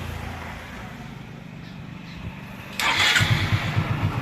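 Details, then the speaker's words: Hero Super Splendor single-cylinder bike, after refitting the self-starter motor that previously wouldn't start despite a fully charged battery: brief starter whir, then the engine catches at once into an even putter; electric start works properly. "পাচ্ছেন আমাদের বাইকে সঠিক ভাবে self নিয়ে নিচ্ছে কোন আমাদের বাইকে সেলফের কোন প্রবলেম নেই"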